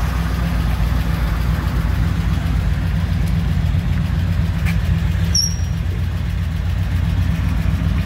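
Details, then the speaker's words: 1959 Chevy Apache 3100 pickup V8, first run after over 20 years sitting, fuel leak noted: deep low even rumble at steady idle with no knocks or stumbles; running smoothly. "almost up got a fuel leak got not bad first time running over 20 years 1959 Chevy Apache"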